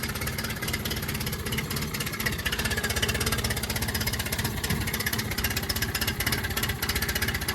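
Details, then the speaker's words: Yamaha 9.9/15hp outboard, in neutral and just started on choke after fitting a new heavy-duty primer bulb (the old bulb's broken valve was starving it of fuel): chugs unevenly with stumbling beats. Rough running; the owner suspects the carburettor ran dry earlier. "Oh. Come on. Just giving it a bit more throttle. I think it's because I ran the carburetor dry earlier."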